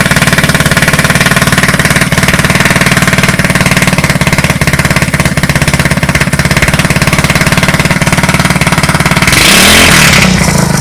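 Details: Street-legal go kart that sat 5 years, first start on a new carburetor with a temporary push-mower fuel tank: the small single-cylinder fires steadily at fast idle, then revs up sharply at the end, clean and even; normal running.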